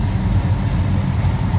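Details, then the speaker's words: Warm idle of a 1969 Pontiac GTO hardtop (Judge tribute) with a built 428 XF-code V8: a deep, even, low rumble with no misses, knocks or ticks. The engine sounds healthy. "Told you it sounds healthy. There's a little rumble."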